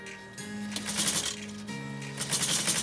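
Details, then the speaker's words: Necchi SuperNova sewing machine on a wide zigzag stitching 8 layers of army-grade canvas in bursts: bright metallic rattle from a loose bobbin cover plate. "Can you hear that plate rattling? A rattle, rattle, rattle, rattle, rattle, rattle, rattle, rattle, rattle."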